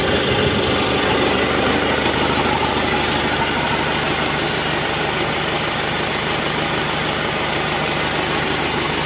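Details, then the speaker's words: Isuzu ELF NLR 55 diesel after its broken crankshaft was dealt with, oil pressure up, warming to operating temperature: steady even idle clatter, smooth with no knocks, only slightly rough. "suaranya halus enggak ada e kurang kasar dikit tapi kita biarkan dulu selama beberapa saat biar temperatur kerjanya normal"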